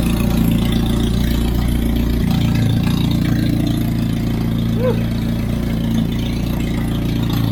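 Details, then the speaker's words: Turbocharged Hyundai Genesis burping newly filled HKS Super Coolant; steady even idle with deep exhaust drone dropping lower after a few seconds, loud because no wastegate is fitted; new thermal coating burning off fumes. "because I don't have that wastegate on it, that's why it sounds like that. And it's burning all that fume, all that, because the thermal coating shit in place, because it hasn't been burned through."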